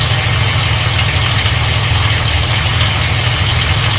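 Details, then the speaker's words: 1995 Ford Explorer 4.0L OHV V6 idling, heard from underneath: low, uneven thrum and rough pulsing from the oil pan area, started after an oil change; heat shields checked and ruled out, valve tick and exhaust not the concern; cause unknown. "The noise I'm after is actually under the truck. It's coming from the oil pan. I'm sure it's not heat shield on anything."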